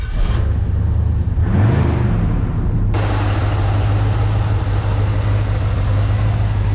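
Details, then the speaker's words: 78 GMC K15 plow truck, 350 cubic inch V8: engine catches and settles into a deep steady rumble with no knocks or ticks; healthy normal running. "listen to that beautiful 350 cubic inch electric motor go man I can almost hear the ice caps reforming"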